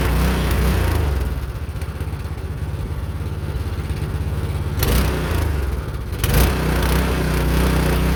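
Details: Meec SN210 snowblower small single-cylinder engine after cleaning parts and reassembly, previously sputtering and dying unloaded after starting on choke: chugs unevenly at low idle with surges, running rough.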